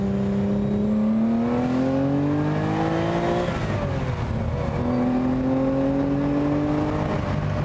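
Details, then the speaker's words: The sixth production Lamborghini, all-alloy V12 with ZF gearbox, driven: smooth even note climbs cleanly with each pull, drops at the shift and climbs again, with no misses or stumbles. "Just a stunning noise. It's just begging to be driven this car."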